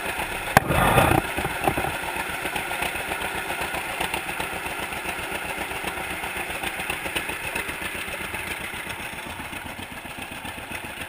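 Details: 1942 John Deere Unstyled A conversion, engine formerly stuck, at its first start after new spark plug wires (GoPro in waterproof case): a sharp start, then a steady, slow two-cylinder putt at an even beat; runs clean and healthy.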